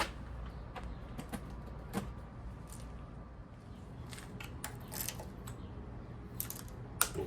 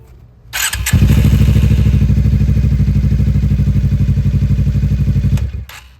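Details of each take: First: GSXR fuel-injected motorcycle, 3,67 miles shown, bought non-running after rat infestation, on jumper battery, key turned on: a few clicks then steady electric whir about three seconds cutting off cleanly; healthy fuel pump prime. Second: Suzuki GSX-R motorcycle, rat-damaged: starts and idles with an even thump, then cuts out cleanly when put in gear; the kickstand switch wiring is chewed, killing the engine in gear.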